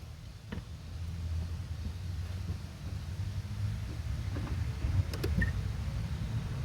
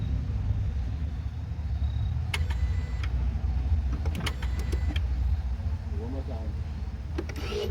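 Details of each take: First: 2014 Ford Focus automatic, clutch actuator motors cycling at ignition on/off self-check before replacement; quiet hum with short gritty, crunchy clicks where they should run smooth, so the clutch actuator motors are worn. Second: 2014 Ford Focus after replacing both clutch actuators, done for a check-engine light about friction element B: at key-on, short, soft whirring bursts over a low rumble, smooth and even. Normal clutch actuator self-check.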